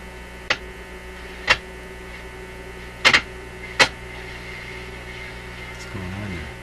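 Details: Zenith Y825 vacuum tube AM/FM radio, sat on a shelf after working 6 months earlier. Steady low buzzing hum, faint crackles, no station; cause not yet found.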